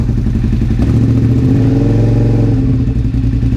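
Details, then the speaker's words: Engine: 2001 Suzuki SV650S V-twin, first start after valve shim adjustment and carburetor removal, on choke; uneven idle stumbling and burping because a carburetor vacuum port plug fell off, causing a vacuum leak. "I may also have a vacuum leak somewhere. I may have a leak from that. I 100% have a leak. My plug fell off."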